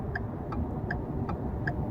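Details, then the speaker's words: Ford F-150 road test at speed after new wheel bearings, following complaint of noise since suspension work: only steady tire rumble with light tick about twice a second, earlier hum near 40 mph gone; rumble likely was the bearings, now healthy. "Ya no más le escucho el puro el puro de la llanta. Se me hace que si ya no le escucho el rumbido porque sí le llegué a escuchar un rumbido ya cuando iba más baja velocidad ya no se escucha."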